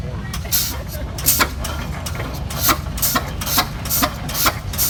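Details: 1917 Eagle F 16-30 two-cylinder tractor (7,200 lb) idling just after starting: slow, heavy, even booms about two per second, one piston then the other, very distinct; healthy idle.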